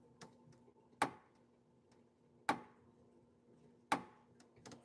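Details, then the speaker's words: Fitness machine at a YMCA: sharp metallic clicks about every 1.4 seconds, one per stride, in a quiet room; suspected dry pivot joint, 3-in-1 oil applied to the pivot at the base, hoping clicking stops after a few cycles. "Give it a couple more cycles and hopefully that clicking sound will go away. It sounds like it's just metal."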